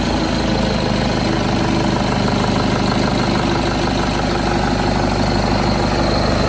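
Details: Nissan D22 Navara ZD30 diesel, started after an oil drain plug was refitted: steady diesel idle with even clatter at constant speed, no misses, knocks or hunting.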